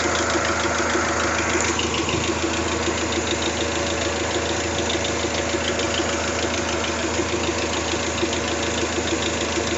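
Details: Toyota 3S-GTE at idle: light, fast regular ticking about three per second, minor top-end rattle, steady and unchanging; cause not clear.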